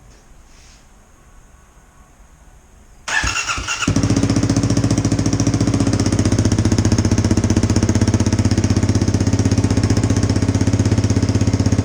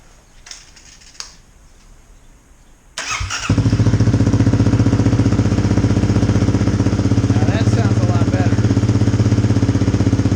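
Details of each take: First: 2018 Kawasaki KLX250 single-cylinder with a newly fitted FMF Q4 slip-on exhaust (silencer installed), first start: a loud, sharp, popping idle; racket from an exhaust leak at the unsealed mid-pipe joint, later resealed. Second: 2018 Kawasaki KLX250 single with new FMF Q4 slip-on exhaust, silencer insert fitted, mid-pipe joint resealed after it made a racket; fires up into a loud, steady, even thumping idle with no puffing or ticking from the joint; normal.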